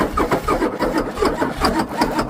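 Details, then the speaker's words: Ford 6.9 IDI turbo diesel cranking: quick, light beats about six to seven per second without heavy compression strokes; lost compression, suspected head gasket. "To how she's cranking me out. It blew a head gasket within the first 30 seconds of running."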